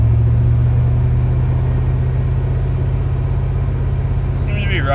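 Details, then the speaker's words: Buddy's Chevy Tahoe found with dead battery, jumped and running on its own, charging about 14.5 V: steady, even low rumble, no knocks, misses or hunting; normal smooth idle, original complaint unknown. "it seems to be 14.5 perfor so everything sounds good the truck running on its own I really know what the complaint was"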